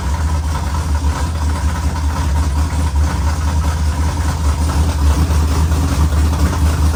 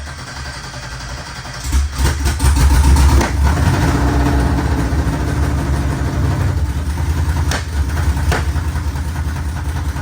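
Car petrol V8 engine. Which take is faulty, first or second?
second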